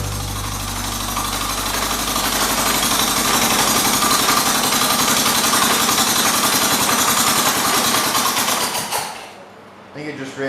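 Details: 1978 John Deere 208 shifting-gears riding mower, first start after sitting three years with a supposedly "blown up" engine, no muffler. Fast, rough, steady chatter of the small engine suddenly falls away near the end and dies: a stall, possibly fuel starvation.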